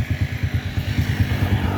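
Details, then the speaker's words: Honda scooter after repair of jerk-and-stall on pull-away (suspected broken clutch shoe spring): steady low putter with even beats about five per second, no clatter or slipping; running normally again. "ปกติแล้วนะครับนี่นะครับของเพื่อน"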